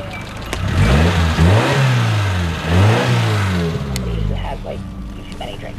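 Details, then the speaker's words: Owner's other Hyundai fitted with the problem car's throttle position sensor. It catches promptly and revs up and down twice smoothly with no stumble or knock; it runs perfectly, ruling out the sensor. "Oh, crank her up. Runs perfectly."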